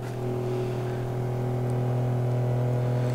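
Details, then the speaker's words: Small 12 V solar garden water pump with auto on/off, submerged in a float-valve tank feeding drip tape: a steady low hum with buzzy vibration at constant pitch; it runs noisily. "little noisy there's some vibration in there for sure"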